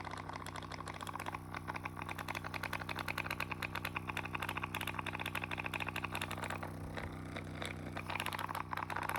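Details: RecoverFun Mini engine running at a steady idle with a sudden fast, busy metallic rattle that eases when the idle rises. Cause unknown; rattling noise while running.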